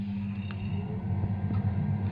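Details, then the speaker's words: Central heating boiler after replacing a failed Honeywell ST9400C programmable controller: low, steady burner rumble with constant hum underneath, no bangs or whistles, as the boiler comes back on; normal boiler firing. "there we go can hear the sound of basically if it's come back on"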